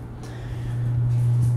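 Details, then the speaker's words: Radson MC 300 PA amplifier, made in Mexico, with its 4 ohm speaker load disconnected: loud, steady low hum that swells slightly and holds; the noise gets loud on bass notes and stops when the load is reconnected, cause unknown, owner suspects the integrated Alarma button. "see that's about this you hear this noise you have to have this hooked up to stop this noise because when I'm playing music and when a large bass note hits this sound will get pretty loud"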